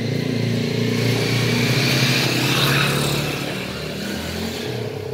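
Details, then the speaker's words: Lakoni air compressor: loud rough pumping with a harsh metallic rattle on every stroke, fading slightly as it settles. Worn 6003 crankshaft bearing causes the noise. "dan kompresor ini suaranya sangat berisik kelihatan dari suara beiringnya ya ini kita akan coba nah itu Suaranya berisik kita akan coba bongkar Apa masalah di dalamnya"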